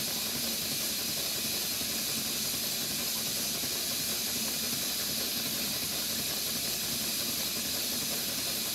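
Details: Stuart Twin Victoria model steam engine on a ceramic-burner boiler at 60 psi, run slowly: a soft, steady steam hiss at an unchanging rate with no knocking or clanking; normal, smooth running.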